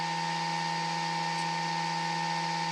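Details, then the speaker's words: Traxxas XRT RC truck conversion: steady electrical hum with no airflow or blade chop; the ESC cooling fan is stuck and not spinning while the other fans run. "stuck I think this fan is stuck oh it's definitely stuck okay this fan is stuck"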